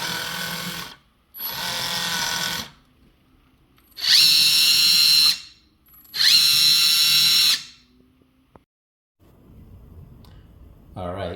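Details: Kabolite K961 excavator track motor, left track: loud steady high-pitched squeal each time the motor runs, stopping when it stops (right track quiet); track over-tensioned loading the motor.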